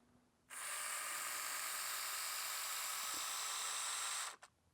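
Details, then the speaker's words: Porsche 911 3.2 Carrera power side mirror motor bench-tested on 12 V after fixing hacked wiring and reversing polarity: smooth, steady high-pitched whir, clean start and stop, no grinding; both mirror motors working. "I'm going to switch the polarity make it go the other way yep so that's up down so we got them both Motors are working now"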